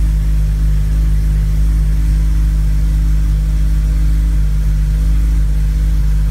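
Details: Honda on E85 after a new cranking fuel table in Hondata Flashpro, cold-started after sitting over 12 hours, fires on the first crank and settles into a steady even idle; cold-start issue fixed.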